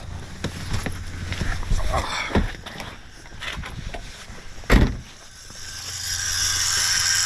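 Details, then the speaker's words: Nissan 370Z (Z34); faint steady low electric buzz continues with ignition off: faulty ABS pump module keeps running, causing battery drain. "is the other symptom that that uh ABS pump is going faulty or having issues other than the fact that when you turn it off it'll keep running"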